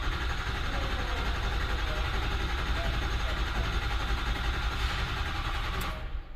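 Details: 2005 Ford F-350 6.0 Powerstroke diesel, cranked about 10 seconds after crank-assist pre-charge: long, low, labouring cranking that never catches. Crank no start.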